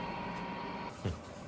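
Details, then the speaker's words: Chinese diesel heater transplanted into a military enclosure, fuel being primed: only steady fan hum and one dull thump, no regular pump ticks; fuel pump not clicking, owner suspects a dead pump. "there still nothing everything connected here clickity clack ain't clacking"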